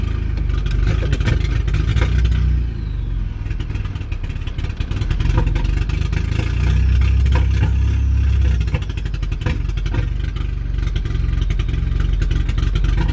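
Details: Small multi-cylinder fuel-injected car at about 500 rpm, floored: slow lopey hit-and-miss idle like a drum beat, uneven thumps with dead beats, running like one cylinder; misfire from fouled spark plugs.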